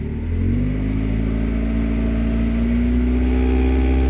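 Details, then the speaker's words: 1991 Mazda MX-5 (Miata), engine around 2000 rpm: loud buzzing rattle under the dashboard, loud enough to stop conversation. Source found to be a vibrating coolant line, the upper of two yellow lines under the dash. "it's a really annoying noise around 2,000 RPM really loud actually - so you can't talk with each other when the noise is going on"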